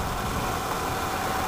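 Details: Wood-gas-fuelled truck engine: low, lumpy idle with a shaky beat that dies when throttle is increased; the servo lets the engine suck the mixer valve open, leaning the mixture and stalling; runs only with the valve worked by hand.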